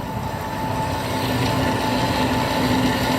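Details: 1972 Grob 4V-24 24-inch 3 HP vertical bandsaw on its slowest speed setting: steady even hum with constant high tone and light rhythmic whir, no knocks or grinding; normal smooth running.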